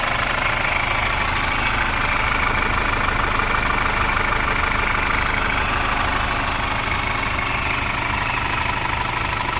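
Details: Captiva FL diesel idling after repairs, including oil leaking into the coolant via the oil cooler, new tensioner and fan belt, and a pulley damper problem: even diesel clatter with no misses, knocks or belt squeal; runs smoothly.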